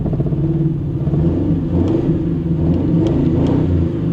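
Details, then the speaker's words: Car that has been running badly, with a quarter tank of gas, new fuel pump, new battery and new sending unit: steady low idle drone with an uneven, lumpy pulse. It runs rough; cause not yet clear. "Oh, it sounds like crap though. But I mean, it's got a quarter tank gas, got a new fuel pump, new battery, new sending unit."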